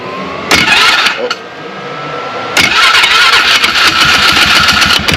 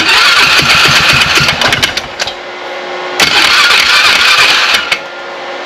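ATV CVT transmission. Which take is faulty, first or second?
first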